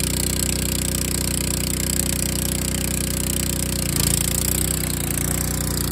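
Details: Craftsman LT2000 hydrostatic lawn tractor with Kohler Command single-cylinder engine, revived with new battery, carburetor and air breather: even, steady beat with a small load change partway through; runs cleanly and the drive takes up normally.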